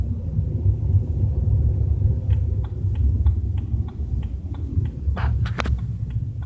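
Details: BMW 320i with a steady, deep droning low rumble while cruising at 30–40 km/h, a few light clicks; cause unclear.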